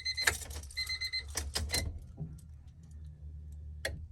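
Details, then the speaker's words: $300 Honda Civic EK hatchback, key on after reconnecting the ground and tightening the distributor clamp: a few sharp clicks then a faint steady low hum as the fuel pump primes; normal fuel pump priming. "Holy shit! Holy shit! The fuel pump primed."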